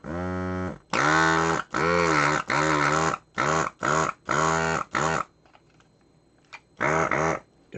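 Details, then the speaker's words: Desoldering tool vacuum pump, used while working on an Amiga 2000, with nothing in the barrel: short buzzing bursts with a sagging droning pitch; weak suction, owner suspects the baffle/vacuum chamber. "Okay, that's what it sounds like with nothing in the barrel. I don't think it's working."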